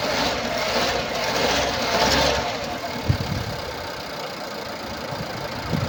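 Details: 2016 Nissan Pulsar C13, 1.2 L HRA2DDT petrol, 85 kW, 97,716 km: a lumpy, uneven idle with an irregular puffing stumble about twice a second, caused by a burnt exhaust valve.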